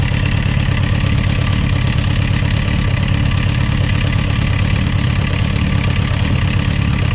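Engine idling with a loose, fairly quick knock riding over the exhaust beat, roughly two per second; cause not yet known.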